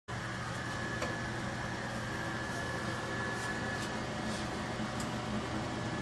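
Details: Furnace noise heard only in heat mode, at startup before the blower starts: steady mechanical hum with a thin high whine and occasional light ticks; source unidentified.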